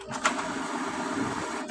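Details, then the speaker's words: HP Ink Tank 315 printer after fixing Error 3: two clean clicks about a second and a half apart with smooth motor whir between; carriage moving normally, error cleared. "Parang back to normal na siya."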